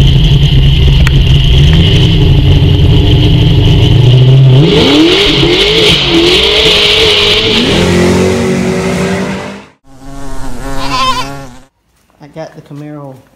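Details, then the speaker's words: Camaro at idle: lumpy, uneven idle with a stumbling beat before a quick rev, still missing on several cylinders; starting and running a little better, cause of the misfires not yet found. "i'm still missing own several cylinders um i'm not sure but it's starting up better and it's running a little bit better"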